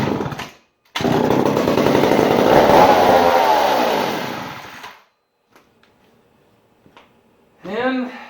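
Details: 1959 McCulloch 1-70 87cc chainsaw, stored almost 30 years: fires and revs hard about four seconds, then fades and dies; gas leaking between carburetor bottom gaskets keeps it from sustaining, likely needs carb kit.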